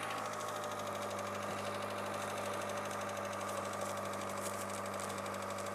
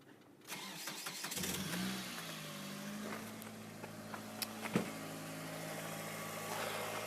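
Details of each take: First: 2000 Mitsubishi Lancer, 1.8 4G93 GDI petrol, 150,000+ km, cold idle before Suprotec additive: fast, light ticking riding over the steady hum; owner says it knocks both cold and hot; hydraulic lifter tick at cold idle. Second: Mitsubishi Lancer 2000, 1.8 4G93 GDI, 150,000+ km, cold start near 5°C after Suprotec additive for hydraulic lifter knock: catches after a brief crank and settles to a steady, even idle with no top-end ticking; a normal cold start.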